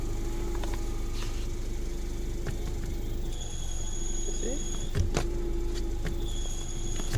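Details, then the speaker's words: Peugeot 307 sedan with a clutch issue and a blowing exhaust, idling; a steady hum with a high whine cutting in and out; clutch release bearing worn out, to be replaced by separating the gearbox from the engine. "all right so it's obvious yes is okay apart from the exha that uh blowing so uh yeah the clutch relase bearing is done"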